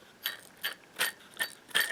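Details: Belt sander motor torn down: end bearing spun by hand gives rough, gritty ratcheting bursts; armature had excessive play, grabbing and burning-wire smell; worn bearing, pressed-in captured cage, sander judged not repairable.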